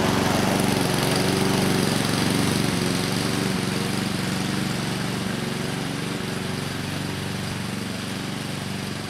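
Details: 2014 Husqvarna HU700F self-propelled push mower, Honda GCV160 engine, after a carb clean: steady, even drone at constant speed with no surging or misses; carburettor fuelling it properly, running healthy.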